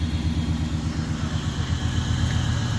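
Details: 1994 Chevrolet Impala SS, parked at least 5 years, idling on fresh gasoline after first start while warming up: steady low rumble, even quick pulse, nothing knocking or rattling; running cleanly.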